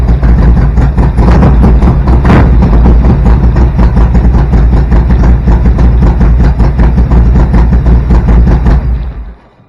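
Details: Evo Harley-Davidson V-twin, 10.5:1 compression, EV27 cam, first start after rebuild: deep loud lumpy thump at about 2.5 beats per second, firing evenly with no knocks, then dies away; healthy idle.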